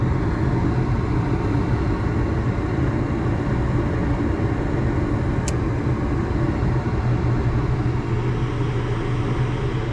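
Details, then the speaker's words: Natural gas garage heater converted to propane, first fire-up on a temporary circuit and thermostat: steady low hum with one light click as the exhaust fan spins up evenly; unit only slightly warm, a normal startup. "Exhaust fan just kicked in. Only slightly warm. Beautiful."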